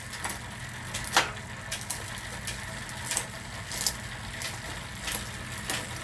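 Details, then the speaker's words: Bicycle rear derailleur just adjusted, run up and down the cassette: quick clean clicks, each shift landing crisply without grinding or chatter; normal gear shifting. "and that's it shifting is adjusted you know go through up and down as many times as you want to really pay attention to it listen to it"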